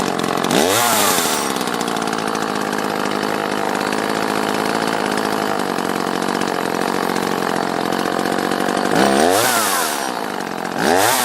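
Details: Used Echo CS-330T top-handle chainsaw after removing a gasket that blocked the carb vacuum port: revs up cleanly, holds a steady high buzz, and drops back to idle without stumbling. Normal running.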